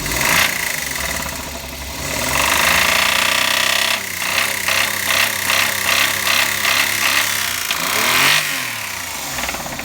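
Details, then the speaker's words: Engine with suspected bearing (metal) failure revved up and down after MotorUp oil additive and five minutes idling: hard, irregular metallic knocking persists through the revs; additive failed, likely bottom-end damage. "多分これメタルねえぜ、きっと俺は。ダメでしたね。ダメだろう。"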